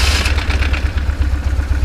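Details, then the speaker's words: 2004 BMW R1150GS boxer twin, cold start in neutral with full fuel: catches first try, unlike its usual several attempts, and settles into a lumpy, even idle with light valve clatter; starts clean and runs fine. "yeah it started it started but usually so usually you know it will uh take a couple times so we were fortunate uh today"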